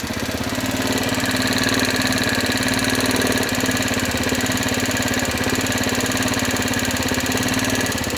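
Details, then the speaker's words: Honda Dio AF56 scooter after a full rebuild with new valves, about 10–20 km since: fast, light metallic ticking over the exhaust note at idle. Excessive valve clearance, with the owner suspecting wear on the rocker arm or camshaft. "видимо выработка на на коромысле или на распредвалу все-таки дал о себе знать"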